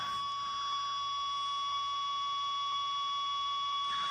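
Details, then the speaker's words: Ten Tec Paragon #1 (working transceiver), AM transistor radio held by the processor: steady high tones with faint regular ticks; operating controls changes code and RF output, adding noise; normal CPU noise, lower than the non-working Paragon. "now you can tell that when I do anything here there's going to be some noise with the code changing when the software changes it changes the RF output in the"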